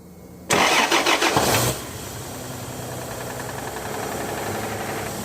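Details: Toyota Land Cruiser with a 1FZ-FE engine cranks and catches, then idles with a steady, somewhat uneven tapping knock. Suspected bearing or oil pump trouble, unconfirmed; the planned fix is an overhaul, checking the oil pump and crankshaft and camshaft bearings.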